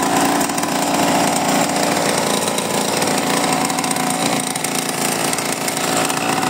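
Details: Mini bike first start after 30 years stored in a barn, new spark plug and cleaned carburettor: loud, steady small-engine buzz at even speed with no misses or knocks; normal running.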